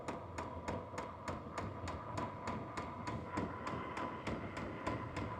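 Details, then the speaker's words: H-Calory diesel heater with its original piston fuel pump, raised from level 3 toward level 5 (higher level, faster ticking): sharp regular ticks about three per second over a soft steady exhaust hiss. Loud fuel pump ticking. "And the faster the higher up in the level you go, the faster it's going to make that ticking noise."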